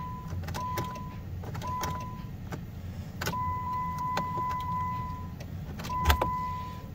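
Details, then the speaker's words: 2008 Jeep Grand Cherokee, rusty, reported limp mode and transmission issues, key turned in park: sharp irregular clicks over a steady chime with no cranking after wiggling battery connection; clicks but won't crank, electrical or low-voltage cause unclear. "All right, wiggle the battery connection. Let's see. Nothing. There's something clicking."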